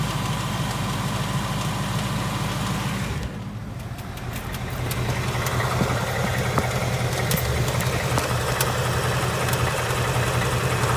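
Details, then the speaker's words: 2018 Ford Mustang GT 5.0 Coyote V8, about 6,000 miles, on its third short block, idling with a light regular tick (~160/min) over the hum, the "Coyote/BBQ tick"; teardown of an earlier engine found excessive piston slap and cylinder wall damage. "I have this tick. I have the coyote tick, the barbecue tick, whatever you want to call it."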